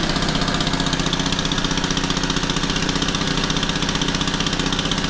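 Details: Honda FG110 after carburetor fix for no idle and bogging: small single runs a fast, even putter at a slightly high idle with no hunting or bogging, a little white smoke, slightly rich.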